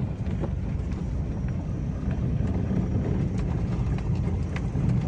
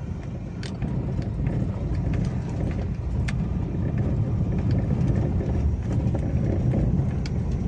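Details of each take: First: Toyota Avanza/Daihatsu Xenia 2012-up with electric power steering, after repair of the steering gearbox, driven over a rough rocky road. Steady low rumble with no knocks; the front-end clunking felt through the steering wheel is gone. Normal steering. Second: 2012-on Toyota Avanza/Daihatsu Xenia with electric power steering, driving over rough rocky road: scattered sharp clunks over heavy road rumble, felt in the steering wheel. A common fault from a worn steering gearbox (rack) bushing with play.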